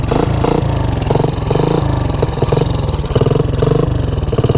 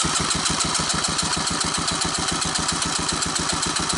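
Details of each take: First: 1984 Honda ATC 200ES revived from low compression (oil in cylinder, new Keihin PZ27 carb, tighter plug gap), semi-warm, on choke, third gear low range: steady even firing under load, no knocks; runs healthy. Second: 1984 Honda ATC 200ES, low compression (about 30 psi, 60 wet): throttle slide out for compression test, even starter churn about four strokes a second, no firing.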